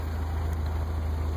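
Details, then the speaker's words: 1985 Toyota Celica GT survivor with 108k original miles: low, even idle with a steady quick pulse and no knocks or misses; runs real good, exhaust sounds good. "there's the sun damage, but you can hear it runs real good."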